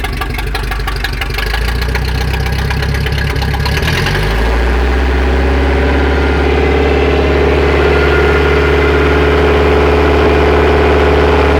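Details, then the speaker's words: Chaparral boat engine after the defective aftermarket carburetor was replaced with the owner's original carb, rebuilt: spun up higher about four seconds, then drops to a smooth, steady idle with no stumbling. Runs well with no flooding. "So we took his old one, rebuilt it, put it on. Now go ahead and start it up. Started and running good."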